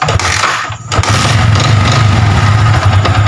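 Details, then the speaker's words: Yamaha Vixion fuel-injected motorcycle, battery dropping below about 10 V at key-on: sluggish labouring crank before catching into lumpy idle; battery judged weak/worn out, charging being checked, battery replaced. "Lemah atau akinya sudah soak Mas kalau lemas sih ya lemah tapi akinya ini Saya rasa udah soak ya"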